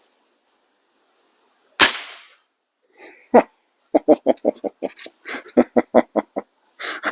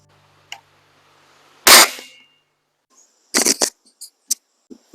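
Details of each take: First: Webley Eclipse springer air rifle after a de-buzzing tune fires one sharp crack that dies away quickly with no spring twang or buzz; smooth, fast lock time, vibration-free shot. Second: Webley Eclipse spring air rifle firing before de-buzzing tune: one sharp shot with a rattling, buzzing ring dying away in about half a second, a buzzy mainspring.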